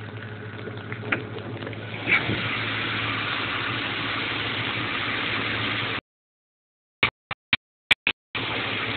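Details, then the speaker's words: Ford Mustang GT with relatively new battery (about 2 years old), idling: smooth, steady idle with only a faint light injector tick on top; engine sounds healthy, normal idle. "you can hear a little injector tick but that's about it"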